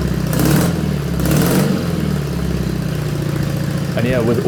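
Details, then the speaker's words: BMW R80 boxer twin custom build, first fire-up after the ignition and new wiring were done: steady, even twin-cylinder idle with a couple of quick throttle blips that rise and settle cleanly; normal idle, sounds amazing. "Also, I don't know if you've seen it, but we've wired up the ignition. The bike fired up. It sounds amazing."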